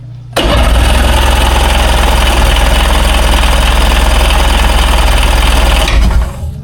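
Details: 2001 Ski-Doo 3-up jet ski, non-running, on a jump box with choke and fresh gas: steady fast cranking at about three turns a second for five seconds without firing. Owner suspects the jump box running out of charge.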